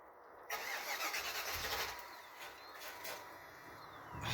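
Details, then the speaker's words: Cadillac Fleetwood, cold start at −2 degrees after sitting nearly a week following coolant valve/heater-core work; starter cranks with uneven rapid churn, fuel pump heard, engine never fires; OptiSpark distributor failed. Crank no start. "This is actually the first time where it's refused to start. What the actual fuck?"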